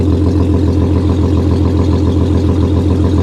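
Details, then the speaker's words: Audi A6 Avant Quattro at Copart, AC on and ice cold: loud, deep idle with strong even exhaust pulses about three to four per second; sounds awful. "boy she just sounds she sounds awful yeah she's a little loud she's a little loud"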